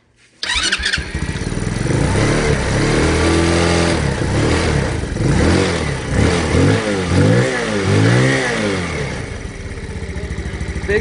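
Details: Honda Grom clone 125cc single-cylinder bike, after fixing a snapped, loose engine bolt that caused bad engine vibration: fires up and revs cleanly, no rattle or buzzing vibration over the exhaust.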